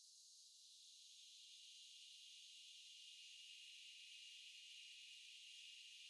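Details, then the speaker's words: Faint, steady high hiss with no low hum or rhythm from the back of the refrigerator (condenser area) during a compressor cooling cycle, high-frequency filter applied. The fridge is on its recommended setting but food was freezing. The owner suspects the breaker box is overexerting it; the hiss is unexplained. "But this is the noise in the back of the fridge, and I'll turn on the high frequency filter so you can pick apart that from your fan and other background noise a little better."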